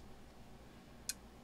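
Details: Elecraft K2 transceiver kit, first power-up test with RF board unpopulated: single crisp relay click in quiet room as band switch steps to next band, clicking each time; relay switching normally.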